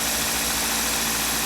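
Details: 2003 Toyota Matrix XR, about 225,000 miles, after PCV valve replacement and refitting the valve cover: steady, even idle with a smooth hiss and no ticks or knocks, engine running healthy.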